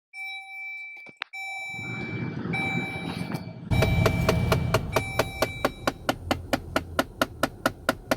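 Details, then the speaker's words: 2013 Dodge Journey AWD Crew Pentastar V6, on starting engine or HVAC: sharp, steady clicking about three times a second behind the dash near blower motor and cabin filter, from a failing blend door actuator needing replacement. "Yeah, that noise. That's your blend door actuator screwing up."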